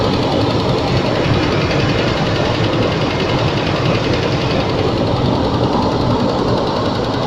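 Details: Range Rover II, cold start: loud, dense rattling knock over rough cold idle, steady throughout; cold-engine knock, source not pinned down.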